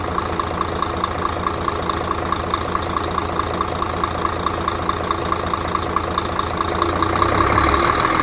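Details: Mercedes Actros OM501 diesel truck after cylinder head repair for intake valve recession and valve adjustment; steady idle with light even tick about twice a second, no knock or misfire, revs rise smoothly; normal idle.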